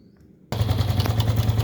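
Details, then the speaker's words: Honda Biz 110i motorcycle engine with cam chain tensioner screw loosened to bleed it: fast, even metallic clatter over idle, noise still loud; clatter stopped after about 3 minutes running. "Vocês podem perceber que o barulho continua alto."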